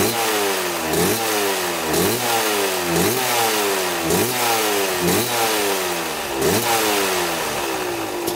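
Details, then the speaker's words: 1995 Kawasaki KX250 two-stroke after sitting, idling after large carburetor adjustments: a crisp burble with even, regular firing pulses and no misses or hunting. It runs cleanly and smokes from the exhaust. "got your idling we had to make a huge adjustment up here this came out right here and you had a backpack out really far and then we adjusted it with the uh the actual adjuster down there and now it's running perfect"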